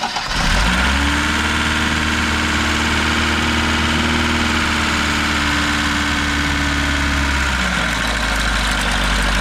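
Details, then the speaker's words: Lada VAZ 2103 engine starting and idling with a loose metallic rattle after a run to 120 km/h; owner suspects the chain tensioner, and the rattle is rpm dependent, fairly okay above 2,500 rpm. Finding: failed timing chain tensioner. "yeah you should yeah it's pretty bad but to think of this well it may be the it might be the chain tensioner but it's like you it's like rpm dependent"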